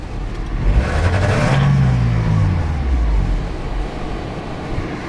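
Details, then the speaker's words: 2002 Nissan Altima, four-cylinder, codes P0507, after replacing all four ignition coils and spark plugs: revs climb sluggishly and fall away with an uneven, stumbling beat and shaking; low compression in cylinder three or four suspected, heavy smoke. "shakes looks like there is not enough compression here in cylinder three or cylinder four the smoke is horrible"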